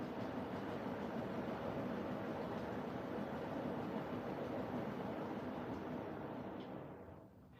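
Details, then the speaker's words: Siemens washing machine (new replacement unit) running a drum clean: steady, even rush of water from the jet over a soft drum rumble, no knocking or grinding; jet runs quietly, before heating to 70°. "The jet's quiet. Like, no more of the lie. That's a quiet jet."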